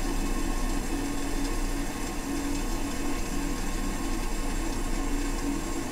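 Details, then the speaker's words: Toilet, noisy since installation and now much louder: loud steady hiss with buzzy low hum as the tank refills, peaking as fill completes; intake fill valve suspected, to be replaced, cause not confirmed. "okay folks we have an interesting situation here with our toilet where it's making a sound where it sounds like it's going to blast off into outer space"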